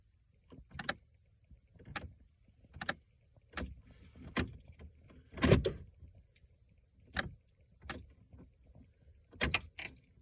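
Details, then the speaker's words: 2008 Pontiac G6 GT 3.5 L, key turned: sharp irregular clicks about once a second with no crank, no start, a relay clicking in the body control module (BCM); doors also lock on their own. "I noticed where this clicking noise is coming from so if you can see that right there that is your body control module or if you can just say your BCM and you know we're not cranking"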